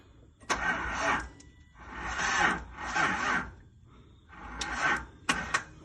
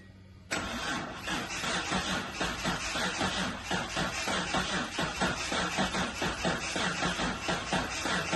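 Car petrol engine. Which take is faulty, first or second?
first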